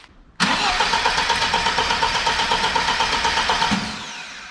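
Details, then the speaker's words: Lada VAZ 2103 cranks but won't start: starter spins engine in steady chugging rhythm ~3 s then winds down, never catches, even after new distributor cap, choke cable and oil; nearly whole ignition swapped, distributor contacts suspected next, cause unconfirmed. "so the plan is to change those has to be that basically the whole ignition system is now swapped and it still won't run"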